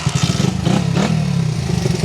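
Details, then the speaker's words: Restored Honda XR75 vintage single-cylinder, revived after sitting five years, revving on a test ride: strong, even thump rising and falling with throttle, no misses or rattles; normal healthy engine, stalled shortly after. "Oh, it sounds so good."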